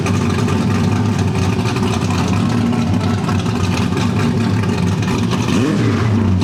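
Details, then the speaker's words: Supercharged small-block V8 first start with a new engine after correcting timing, distributor suspected a tooth off: loud, deep, steady burble rising as the throttle opens, no misfire, knock or rattle; header wrap burning off. "That thing is pretty loud. Sounds good though."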